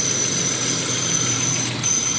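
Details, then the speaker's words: Volvo 164E with D-Jetronic injection, idling just after injector work: thin, steady high-pitched whistle over an otherwise even idle. Source of the whistle not identified. "Ooh, who's whistling?"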